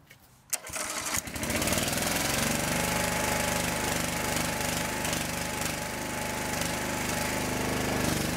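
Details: Small engine on a homemade wood splitter, after fuel system and wiring work and refilling two gallons of hydraulic fluid: catches after a couple of pulls and settles into a steady, even putter with no misses; running fine.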